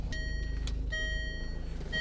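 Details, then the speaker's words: Range Rover Evoque after replacing the instrument cluster speaker with a donor unit, idling in drive: clear two-tone seat belt chime repeating about once a second, fix restored the missing chime; normal seat belt chime. "there we go it's chiming at me I've never been so happy to hear the seat Bel chime"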